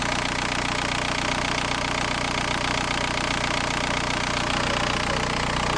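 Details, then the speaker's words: VW New Beetle TDI 90 ALH diesel, EGR deleted, NRJ Car add-on tuning box screwed fully in: loud idle with an uneven lumpy knock about 2.5 times a second, misfiring from over-fuelling; box is backed off until idle stabilises. "Boîtier vissé à fond, vous entendez là le bruit. Donc on revient un petit peu en arrière jusqu'à que le ralentisse ou stabilise."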